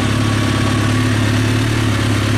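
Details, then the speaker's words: 2003 Kawasaki ZX6R inline-four at warm idle, fan on, after resetting the timing chain tensioner: steady, even smooth low hum with no cam chain slap or rattle, no smoke; only a small coolant reservoir leak; sounds great. "so yeah the fan kicks on when it should small coolant leak from the reservoir and it's not smoking so i think we got a good motor here sounds good after i reset the timing chain tensioner sounds great"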